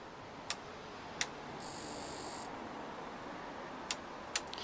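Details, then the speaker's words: Brief, quiet, even buzz of about a second as the fuel pump primes on a rebuilt 8,700-mile Honda CBR125 after refilling with fresh petrol; sounds healthier than before, engine then started. "that sound is a lot better from the fuel pump so it's hard to describe but you want a I don't know how to explain it but I know from the sound that that sounds"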